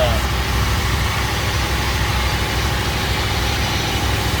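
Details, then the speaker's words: 1967 Mercury Cougar V8 just started with battery charger connected, before testing the repaired power steering ram assist: steady low, even burble with no misses, knocks or ticks; a healthy idle. "So as you can hear, it's running. It decided it wanted to start, so let it go ahead and charge up a little bit."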